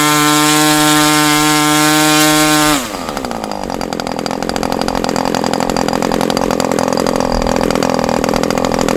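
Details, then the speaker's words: Super Tigre model glow engine after switching to an OS No. 8 plug: a high steady scream drops suddenly to an uneven lower beat; a transition problem. "all I know is the transition issue I was hearing with this did get better when I put the spray bar back up to where it was when I got it"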